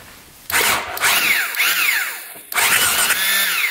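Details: 2001 Husaberg supermoto with swapped-in 500cc engine, sitting about 15 years, electric start with plug out checking spark: two bursts of whirring cranking, engine spins but never fires; no spark seen, kill switch or plug boot wire suspected.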